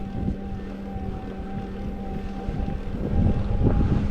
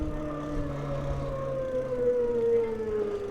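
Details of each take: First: SixThreeZero EVRYjourney 500W rear hub motor cruiser e-bike climbing a steep section on pedal assist at about 7.5 mph: a steady low hum with a faint even whine and no grinding or clicking, so the motor sounds healthy. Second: SixThreeZero EVRYjourney 500 W hub-motor cruiser e-bike on a steep climb under throttle, speed falling from 5.5 to 2.3 mph: motor whine sinks in pitch into a low grinding growl, the hub motor labouring under heavy load.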